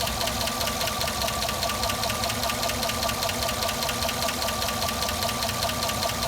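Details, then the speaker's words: 2009 Cadillac Escalade: fast, even metallic ticking, two or three a second, over smooth idle once warmed up; goes quiet on restart; owner suspects the oil pump going out, unconfirmed. "yeah you can still hear the tick like I said dried like how it isoot still ticking every time it warms up it ticks every"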